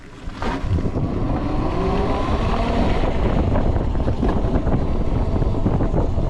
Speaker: All right. So, when you ride the bike, it's very quiet, but you will hear some chain noise, some motor noise, and also you'll also hear the whine of the controller as it kind of spools up and throws a lot of energy through it.